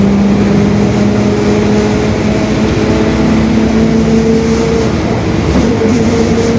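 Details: 2021 Marcopolo Torino S stretched bus on a Mercedes-Benz OF-1721 BlueTec 5 chassis, under way; a steady droning hum with a held tone around 200 Hz over engine and road noise. The differential is growling (differential whine).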